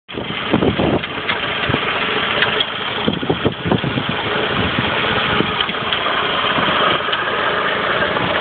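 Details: Saab 9-5 idling after an overdue oil change: irregular metallic knocks, seemingly from the left side of the engine under the engine mount, like metal on metal; noise started a couple of days ago, source not yet found.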